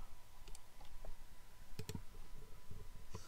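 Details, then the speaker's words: Computer CD drive reading a badly scratched disc: irregular sharp clicks, a few per second, over a quiet room hum as the drive struggles and retries; the disc later plays music. "Like if I click play, then it doesn't play. Like it's making noise. My CD drive is making noise. It's going like did it, did it."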